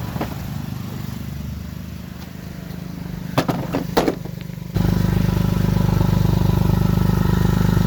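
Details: 2006 Lexus GS300 with dual exhaust, bad exhaust leak: rough rapid puffing chuff at idle about three and a half per second, growing much louder with revs.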